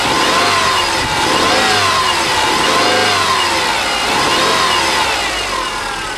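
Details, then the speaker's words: Rebuilt EJ25 SOHC 2.5L Subaru flat-four from a 2005 Outback, which before the rebuild knocked only when revved, warmed a couple of minutes: revs up and settles cleanly and evenly with no tapping or knock. "all right not too bad huh sounded pretty good to me I'm still Hing into River really high but uh definitely no knocking issues"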